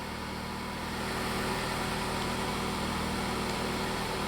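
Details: Ford four-cylinder just started for a ThinkDiag scan-tool power balance test. Settles into a smooth even idle, steady hum with no knocking or ticking: normal idle.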